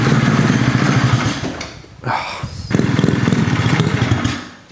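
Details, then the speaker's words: Rotary-swapped Honda QA50 after 6 months unused: it starts, then runs rough and buzzy, sags, picks up briefly and dies; fuel starvation because the fuel tap was left shut. "Did I turn the fuel off? I turned the fuel off. And and would you believe that's why the supercharged bike died last time we were riding it as well."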